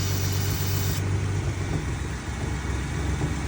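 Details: Ford F-150 petrol engine with vacuum-operated climate control: low steady idle hum with no hiss after the faulty brake booster's vacuum feed is covered, so the engine runs smoother; the booster was sucking air.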